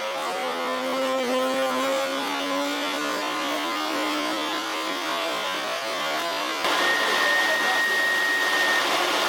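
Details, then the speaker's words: Old Hoover Senior 652A upright vacuum cleaner: the motor whines with a wavering tone over a coarse, rough rush that steps up partway through; owner suspects it needs new bearings. "I think this machine might need some new bearings."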